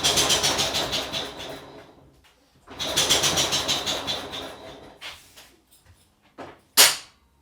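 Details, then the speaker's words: Long-seized, years-sitting old Blaxland engine, spark confirmed, fuel poured down the spark plug hole: two bursts of rapid cranking clatter with one sharp pop near the end and no catch. It fires once but won't start. "We've got spark, so let's see what happens. We had something. It popped. It fired."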